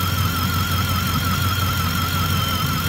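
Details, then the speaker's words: 2010 Ford F-150 5.4 E85 truck: constant high-pitched, slightly wavering squeal at steady run, located at the alternator with a screwdriver stethoscope; owner suspects alternator bearing, not confirmed, plans to test by pulling the field wire. "we've got that alternator squealing sound I put a uh long screwdriver up to my ear to confirm the location and it makes a noise on the alternator sounds like a bearing"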